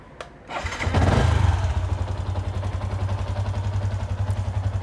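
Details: Yamaha Exciter 150 with intermittent no-start, after clearing codes/reset, started: catches within half a second into a steady even idle; fault traced to an intermittent wiring junction at the ignition switch.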